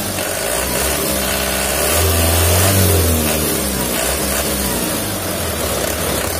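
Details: 2011 Mitsubishi Canter Super Speed diesel truck, harsh sound, knock when shut off, heavy throttle, low power; harsh uneven clatter rising with throttle: rough running from cracked injection pump timer found on inspection.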